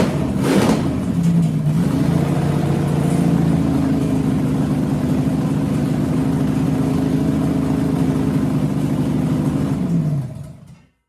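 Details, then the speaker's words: 6-inch rodded 350 Chevy V8 (HQ Holden Kingswood project), run after fixing the MSD box earthing fault; revs flare then settle into an uneven loping run, no clean idle; owner notes a couple of vacuum leaks. "I do have a couple of vacuum leaks, but I'm just going to go get a run."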